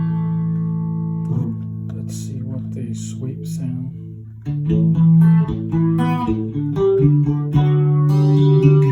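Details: Electro-Harmonix vintage 16 Second Delay after repair (filter caps replaced, frayed wiring cleaned up; was no delay): clean guitar notes followed by crisp echoes about two per second, no crackle or dropouts; delay healthy.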